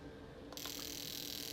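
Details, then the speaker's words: Snowmobile fuel injector on a cleaning tester at 5 V in continuous mode, before cleaning: a fast, even, high-pitched clicking buzz starts and holds steady; the injector is opening and closing properly when pulsed. "Now, if I hit the start button, if I hit the start button on this tool, you can hear the clicking."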